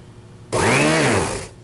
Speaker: Motor sounds alright. You'll notice it's pretty loud. There's a couple things that make this loud. First of all, it's got a Johnson motor in here, which is a pretty cheapy little run-of-the-mill motor.